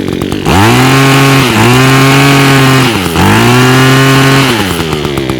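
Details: Echo two-stroke trimmer with Zama carburetor after removing and cleaning the jet, air cleaner refitted: clean steady buzz rising and settling smoothly with each blip; earlier smoke from raw fuel has stopped, running healthy.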